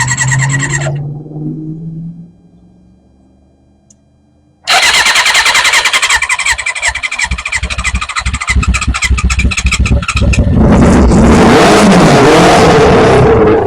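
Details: 1991 Kawasaki Ninja ZX6 on its first start in 10 years, before the carburetor rebuild. It catches after a pause and runs ragged with uneven popping, needing revs to keep going, and won't idle. Carbs were suspected and rebuilt afterwards.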